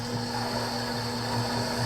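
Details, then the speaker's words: Acrylic centrifugal pump trainer driven by electric motor, suction valve closing to about -14 inHg vacuum: steady pump hum with a rising hissy crackle as flashing begins, early cavitation. "closing the valve and watching the gauge minus 10 inches mercury minus 12 that's 14 you can start to hear flashing occur there"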